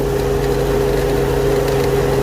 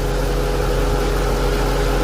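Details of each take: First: Infiniti M45 with VK45DE V8 at idle, AC compressor not working: constant mid-pitched whir that gets louder when the belt tensioner pulley is touched; the vibrating pulley is suspected as the source. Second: Infiniti M45 with VK45DE idling after replacement of the belt tensioner pulley and a test drive: smooth, even idle with a steady low hum; the earlier pulley noise is gone.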